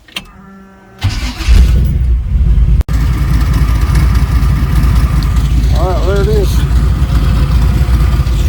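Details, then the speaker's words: Chevy C20 being turbocharged, first start with the exhaust fitted and only one spark plug installed: engine cranks, catches, then runs rough with a loping stumble at idle, a noticeable miss from the missing plugs. "there there's one plug in this thing it just ain't very happy you can probably hear it in the in the video she's kind of got a little Miss to it"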